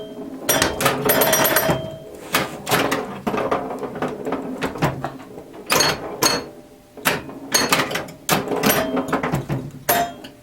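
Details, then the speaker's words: Restored 1977 Williams Hot Tip solid-state pinball machine, playing a full game: bursts of chimes over sharp solenoid clacks and score clicks with no dropouts or shutdowns; a chime note sounded slightly out of tune to the owner; normal gameplay. "Alright, here we go. Listen carefully to the chimes, the startup melody. I think the second to last note was off."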